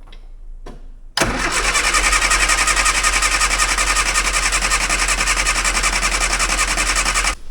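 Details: 998cc Mini Clubman first started after years sitting, no fuel reaching the float chamber, stale fuel being pumped out; dense fast ticking for about six seconds then stopping, an electric fuel pump running hard. Cause suspected, not confirmed.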